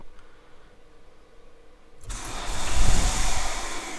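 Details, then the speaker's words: Peugeot diesel that only starts on easy start despite new glow plugs, fuel pump suspected: a few seconds of slow uneven cranking before it catches and roars up unevenly with throttle held; clearly unhappy running. "oh near it there we go okay she's clearly quite not happy running that was with throttle we might add"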